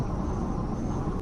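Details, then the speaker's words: 1985 Chevrolet Silverado K20 4x4 with carburetor, 33-inch tires, on freeway under 60 mph: smooth steady low engine drone, no misses, knocks or ticks; engine runs like a sewing machine at cruise. "running as smooth as the sewing machine I can hear the motor just working flawlessly"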